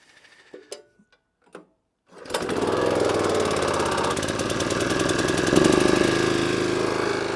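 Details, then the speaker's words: Petrol power washer that previously would only run on choke, started with water on and new lance; a few handling clicks, catches on first pull and holds a steady even buzzing run on choke. "Let's now try, turn it on, choke it, give it a pull, see what happens."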